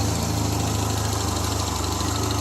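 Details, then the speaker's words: 1975 Triumph Spitfire after smog removal, valve adjustment, timing set by ear, air box off: warm steady idle with occasional uneven beat; slight miss, owner suspects carburetion or lean running without air box, rebuild pending. Slight idle miss. "there you go turn like a little kitten just a little slight miss it might be carburation like I said I got to rebuild it"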